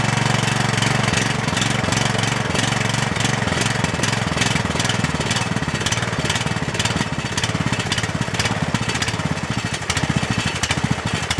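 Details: Cub Cadet LT1018 lawn tractor single-cylinder engine at idle after carburetor replacement, with choke cable and fuel on: steady, even low putter with no misses or knocking; idles down much better than before and sounds normal.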